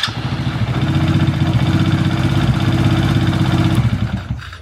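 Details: Quad after starter relay rewired, new wiring without ignition switch: small single-cylinder engine idling with steady even beat about four pulses a second, then cut off cleanly; normal idle.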